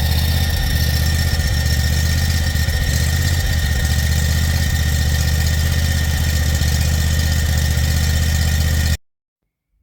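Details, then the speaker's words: John Deere Z950M zero-turn, rear shroud off after oil-leak repair: steady engine drone with a fast, uneven metal-on-metal scraping at or above the PTO clutch; the clutch anti-rotation stud is rubbing metal without its bushing. "And it sounds like metal on metal, and it sounds like the clutch or above the clutch. So I don't know what it is."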